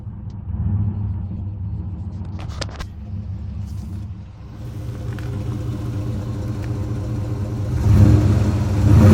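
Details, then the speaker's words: 2003 Dodge Ram long box with the muffler cut off by angle grinder: loud, deep, open rumble that swells as the engine is revved, with no muffling at all. Running straight exhaust. "Absolutely zero exhaust on a 2003 Dodge Ram. It's not too bad. I've heard worse."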